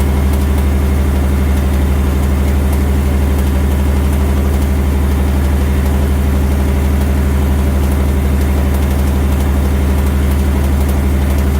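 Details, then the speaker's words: 2019 Ford Mustang GT 5.0 V8, 7,400 miles, just after an oil change (level checked good): constant clanky ticking-tapping, steady tick at idle, getting louder as rpm rises, unlike the normal BBQ tick; no codes, suspected cylinder one scoring, unconfirmed. "it's going to be a clanky like ticking tapping and it gets louder with rpms as he raises the rpms you can hear it get louder and louder and louder"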